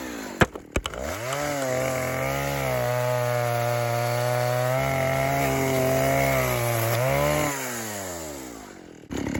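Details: Vintage 1960s Stihl 08S chainsaw, close to 60 cc, with chain brake, cutting dead ash firewood: revs up crisply, holds a steady strong note through the cut, then drops to a smooth even idle; runs good, normal running.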